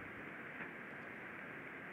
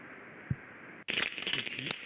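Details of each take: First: Ultrasound signal from a bearing, shifted from about 38 kHz down to the audible range: a smooth even hiss with no impacts. Healthy rolling bearing, used as a reference in ultrasound-assisted lubrication. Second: Ultrasonic bearing measurement, shifted down into the audible range: a smooth, even hiss from a healthy bearing, then a louder rough crackle with sharp irregular impacts from a damaged rolling bearing.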